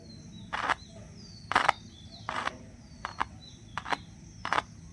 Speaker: तो यहाँ पे कॉइल में सरसराहट की आवाज़ आ रही है। तो फ्रेंड्स, इस तरीके से हम जान सकते हैं कि हमारा स्पीकर सही है, कॉइल सही है और हमारा स्पीकर काम करेगा।